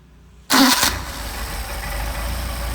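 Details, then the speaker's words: Mercedes 190SL with rebuilt Solex 44PHH carburetors, hot restart after warm-up and idle set to about 725–750 rpm: quick crank, catches at once, settles into an even, solid idle with no stumble or backfire; normal hot restart. "And we had no issues with backfire. A nice solid idle. And we'll try a hot restart. Switch on."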